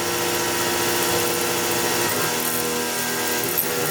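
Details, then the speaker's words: CNC milling an RWL34 steel knife blade at about 3600 RPM, 10.5 in/min feed: steady high-pitched cutting whir at constant spindle speed, even, no chatter or squeal; cutting cleanly and much quieter than before. "much quieter cut than before"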